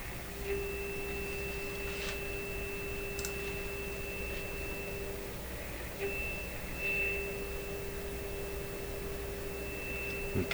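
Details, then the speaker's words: PYE Model 762 shortwave receiver (about 70 years old), final alignment after the trimmer was set: clean steady tone for several seconds with a brief mid drop; tuned for maximum meter, strong test signal. "tuned for maximum meter there we are"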